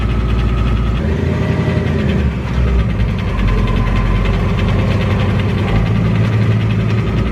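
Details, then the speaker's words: 2018 Mustang GT with Whipple supercharger on E85, 5,400 miles, previously noise-free: rapid regular ticking clatter over a lumpy V8 idle, diagnosed as severe piston slap. "my dad called us ahead of time and let us know that the car has a severe piston slap and we went there to check it out to kind of hear what it sounds like"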